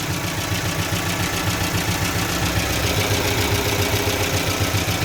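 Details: Evotech 2.7 engine in a Gazelle, gas/petrol, knocking at idle. A fairly regular light tapping two to three times a second rides over the engine hum. Hydraulic lifters are mentioned, but the cause is unclear.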